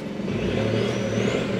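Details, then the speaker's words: Seat Ibiza scrap car, manual gearbox, first drive after refitting steering wheel, testing gearbox and clutch: rough, uneven drone under load with faint rising whine, sounds awful but moves; abnormal driveline noise while driving, cause unclear. "this sounds awful but it's moving which is a start"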